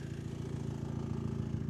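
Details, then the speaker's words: Project car at idle with two-step/anti-lag tune: rapid regular puffing tick keeping pace with firing; owner suspects an exhaust leak, unconfirmed. "Yeah. I think that might just be the exhaust leak though."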